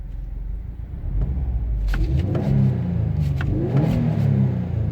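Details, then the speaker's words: 2017-2018 Subaru WRX STI: deep heavy hum builds as revs rise, settling into a boomy drone through the body/cabin at a certain rpm; owner says most such engines do this; this engine vibrates more than his other one. "so now what you get here you get at a certain rpm you'll get this droning through the body like all cast or most cast do it like an inline six might not but they do the beams even do it"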